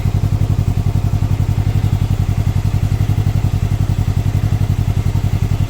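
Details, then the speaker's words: Can-Am Ryker 600 idling just after K&N air filter install: steady even low thrum about 220 beats a minute, slightly throaty intake note, little different from stock; sounds good, normal idle. "Not that much of a different sound, but I can hear it. It's a little throaty. Sounds good."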